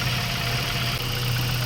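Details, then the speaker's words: Mazda 3 1.6 four-cylinder after a Japan-surplus cylinder head replaced one with low compression on cylinders 2 and 3 that caused heavy vibration: steady, even idle hum, no shake, stumble or misfire, check-engine light gone; normal idle. "tining na wala na yung vibration walang check engine w check engine yun wala na"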